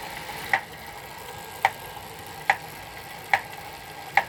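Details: Elite Suito trainer: sharp single knocks about once a second, slightly uneven, over a quiet hum; a periodic knock inside the trainer, cause unclear.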